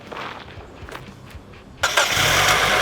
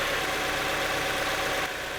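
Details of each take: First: Mazda Miata engine cranks and catches, then settles into a fast, light metallic clatter at about four per second at idle; persists with the VVT solenoid unplugged, top-end rattle. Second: Mazda Miata with many oil leaks, started right after an oil change, having been run on low oil: steady even idle with no tapping or rattle; the earlier knock is gone, normal idle.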